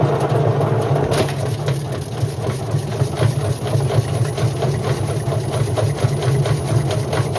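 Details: Indesit IWC71453 washing machine spinning: loud, steady low roar with uneven rumbling throughout the spin from worn drum bearings.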